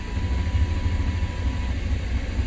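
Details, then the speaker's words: 1993 Chevrolet C1500 5.7L with code 54 fuel pump relay/circuit fault: even cranking rumble, no pump hum, never starts. "still not starting still not starting"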